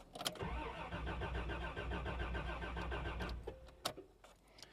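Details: 1989 Toyota Land Cruiser barn find, sat about 8 years, fuel gauge on empty: starter turns the engine over with a steady chugging rhythm for about three seconds, but it never catches or fires.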